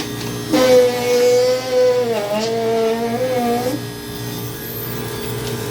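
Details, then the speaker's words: Hoshizaki ice flaker after scale cleaning, tripping on startup: motor hum with strained wavering whine sagging under load and rough grinding undertone; auger dragging suspected, cause unconfirmed; next step is removing the one-time-use seal bolts. "Okay, I think I figured out what the issue is. This thing's got issues. Bad issues."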